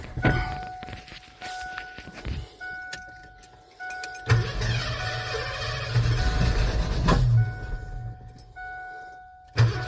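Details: Abandoned 1988 Ford F-350 dually with fuel pump problems, run on a temporary makeshift fuel system: starter bursts, then engine catches and holds a steady low rumble under a ringing dash chime; runs fine.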